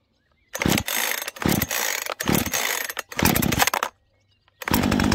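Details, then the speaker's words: Husqvarna 135 Mark II chainsaw, 38 cc, 1.6 kW, first-ever start, cold with primer bulb pushed: several short sputtering bursts over the pulls, then settles into a steady crisp run; healthy cold start. "Takže poďme na to, prvýkrát ju naštartujeme. Štart zastudená, je potrebné zatlačiť sítič."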